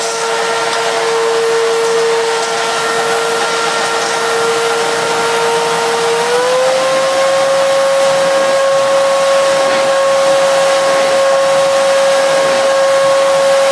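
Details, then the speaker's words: Miele S2111 vacuum cleaner after repairing a broken solder joint: strong, smooth, steady motor whine that steps up slightly in pitch then holds even, with no rattles or cutting out; it runs very well, normal running. "gosh that sounds delightful it does work very very well actually that's not bad at all not bad at all"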